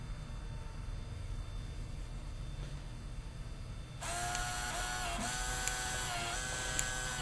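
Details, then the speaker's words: Zeltex ZX101C portable near-infrared octane analyzer, built-in printer printing after a measurement of the empty chamber, with date/time, sample number and gasoline calibration; short stepping whir bursts as paper feeds, normal printing. "the printer now starts Printing and we see the date and time group across the top"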